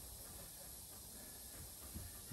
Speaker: you can hear the air compressor leaking in the background because well we're fixing the car today not an air compressor so that's probably tomorrow